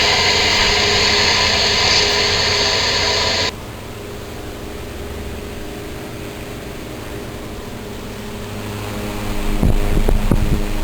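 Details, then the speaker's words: 1907 Westinghouse style 60677 tank fan, 60-cycle 100–110 V AC motor run on DC, fully restored with rewiring and re-sealed windings. After a loud burst it settles into a quiet, even hum with no ticking or rubbing. Two other fans run nearby. Normal running. "running beautifully nice even blades it's quiet"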